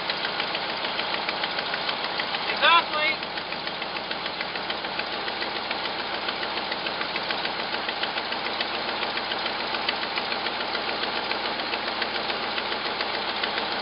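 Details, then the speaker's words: Cold first start, the first run over five seconds, of a hot-rodded V8 Jeep J7 rock crawler with a newly fitted Edelbrock intake: fast, uneven ticking puffs about three per second over the idle, from a terrible exhaust leak; idle good, 55 psi oil pressure. "got a terrible exhaust leak let it warm up i guess i should have checked the oil huh i didn't even do that idle's good boy that exhaust leak is terrific"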